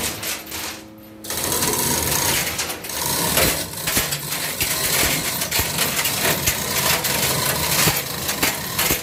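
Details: Test run of a cutting machine after repair, before delivery to Tarlac City. It makes a quick, even mechanical clatter with a regular ticking beat and no grinding or squeal: running smoothly.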